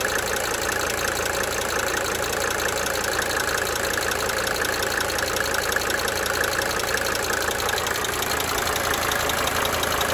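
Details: 1992 Mercedes-Benz 300D 2.5 turbo diesel idling for several minutes, brief talking at start; sharp, fast ticking about three per second that comes and goes over the steady idle: cyclic injector ticking.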